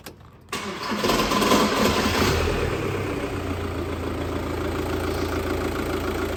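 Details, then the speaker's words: 2004 Audi A3 2.0 TDI (BKD) diesel starts up after a timing belt and water pump replacement with a loud, harsh metallic rattle that settles into a steadier idle; the rattle is a dual mass flywheel fault. "it's just the that really loud rattling noise that you had to start with nothing to be worried about obviously yours shouldn't really sound like that it's just this is actually got a fault with the dual mass flywheel on it"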